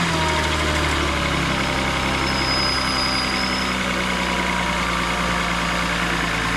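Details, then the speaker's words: 2000 VW Eurovan at idle with a faint, thin high-pitched squeak; owner believes it is the A/C compressor clutch bearing, compressor itself working fine; planned fix is swapping in the clutch from a new compressor. "that little squeaky noise that you're hearing, that's what I'm talking about. And I believe that is the bearing making that noise."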